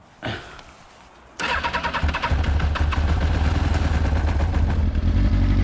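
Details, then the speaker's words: Motorcycle left standing one month, started on a freshly charged battery, cold on full choke: brief crank, then a low, soft, uneven idle for about a minute with no life; it would die if the throttle were opened. "it's on full choke it's been running like this for about a minute now it's there's no no life in it and if i move the throttle it's gonna die"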